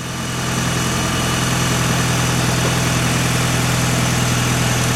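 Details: 1996 Mitsubishi Evo 4 (JDM) idling after being jump-started from a dead battery with a 12 V power-bank jump starter: steady, even idle with a smooth low hum and no knocks or misses; engine runs cleanly.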